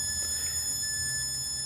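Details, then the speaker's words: Pioneer PD-M703 six-disc CD changer, top off: thin, steady, high-pitched squeal and whistle from the laser optical block while the disc plays, no rhythm; tracking or focus gain set too high, fixed by adjusting the gain. "sometimes the game is too high for the focus I can be either a focus game problem or a tracking game problem but quite often if the game is a little bit too high you'll get that noise that we're hearing on this one"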